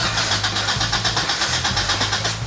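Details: Acura Integra cranks at about four to five even starter beats per second but never catches; crank no start with no spark.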